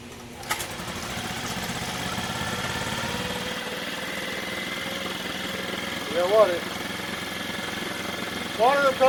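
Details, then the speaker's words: Mercury 4/5 hp outboard, 16 years old, previously a no-start, after new parts: light, steady buzzing run with no misses but idle too high, needing throttle linkage adjustment. "i got to work on that idle that's too high"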